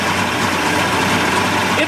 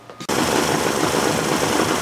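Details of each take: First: 1988 Mercury 70 hp inline three-cylinder two-stroke outboard in a test tank after carburetor work. Steady, even idle with no knocks or misses over water splash; said to sound better out of the tank on ear muffs. Normal idle. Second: 1988 Mercury 70 hp inline three-cylinder two-stroke outboard, old, salty and abused, with carburetor problems. It catches and runs with a ragged, uneven buzz that never settles; gas shoots from a jet, so something is clogged in the carburetor. Rough running.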